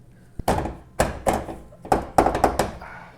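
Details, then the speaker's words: Honda Civic EG hatchback, new hood bent after it flew open hitting a manhole, with a bad panel gap: uneven run of sharp, hollow thunks as the hood is popped and eased up, binding on its latch. "yeah that's really not the kind of sound you want especially from a honda"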